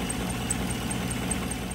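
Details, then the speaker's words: 2015 Chevrolet Silverado 1500, 5.3 V8, over 150,000 miles: a sharp high chirp about five times a second at idle. It persisted after a belt tensioner change; a failing lifter roller chirping on the cam is suspected, with possible cam damage. "you guys can hear it almost sounds like a loose belt or something. I initially thought it was the belt, so I changed the tensioner of the belt system and the chirping was still there."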